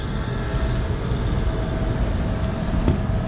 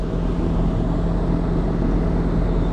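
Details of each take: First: York rooftop unit not cooling properly, low ambient free cooling light on, damper possibly stuck open, water everywhere from clogged drain: compressor gives rough, uneven low rumble with rattly grit over steady drone; sounds terrible, cause unknown. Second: York packaged rooftop HVAC unit back up and running after service: a steady, even low hum and airflow rush with no knocks, rattles or squeals. The unit still reads low on refrigerant.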